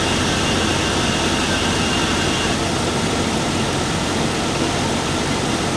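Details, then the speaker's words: 2002 Chevy Avalanche 5.3 Vortec V8, A/C on max during R134a recharge after leak repair: steady idle with even hum and faint constant whine; compressor engaged and running normally. "So, before we start charging, we got to make sure to turn it on AC and max blast. That way, the compressor kicks on and runs"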